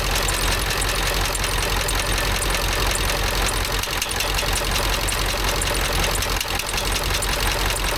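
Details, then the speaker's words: 7.3 Power Stroke diesel, Ford F350 dually, after replacing a bent pushrod: steady, even idle clatter with no odd knock standing out; valvetrain sounds healthy, normal idle. "Sound better, but looks like everything's working right."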